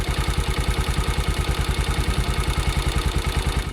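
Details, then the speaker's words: Bajaj Pulsar 150 (pre-N-series) single-cylinder at idle: even thump with a light, fast high-pitched metallic chatter, mostly tappet noise plus slight timing chain noise; valve clearances need adjusting. "तो यह जो आपने अभी आवाज सुनी इसमें काफी थोड़ी ना ऐसे छनछन की आवाज आ रही है काफी ज्यादा आ रही है वो छन छन की थोड़ी हाई पिच आवाज आ रही है वो एक्चुअली ज्यादातर जो नॉइस होती है वो टपट की नॉज होती है"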